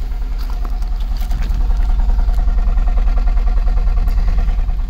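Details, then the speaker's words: Ford Focus, starts fine, idling with extra vibration, EGR valve already replaced: low exhaust idle with an uneven, lumpy, weak pulse; misfire, later addressed with spark plugs, coil packs and gaskets. "sounds a little rough sounds a little wimpy and puny and coming to the exhaust"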